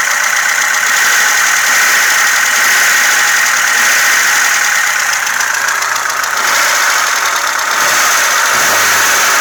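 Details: VAZ 2106 engine running: light, quick ticking above a smooth-running engine, classic loose valve clearance tapping.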